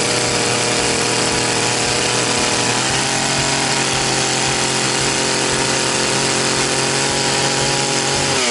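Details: Very high-hour Echo CS-670 two-stroke chainsaw, reassembled after a dirty ignition coil caused no-start: strong, steady buzz holding a high, even pitch then easing off cleanly; saw runs right.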